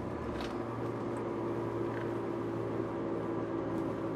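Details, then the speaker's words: Turbo AWD manual Japanese car while driving: steady mid-pitched whine over road rumble from the rear, not the tires, diffs have fluid; wheel bearing or differential suspected, not pinned down. "Yeah, I don't know if you guys can hear that. Just like a winding noise, I think, coming from the back."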